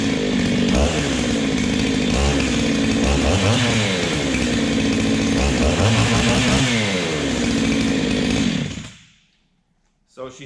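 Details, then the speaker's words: Ported Husqvarna 385XP two-stroke chainsaw with aftermarket 390 piston and cylinder, first cold start, unloaded: crisp rasp rises and falls with light throttle blips, revs cleanly before shutoff; healthy. "pretty good boys I've just been running her lightly like that you don't necessarily have to rev it right up in it because it can be hard on it"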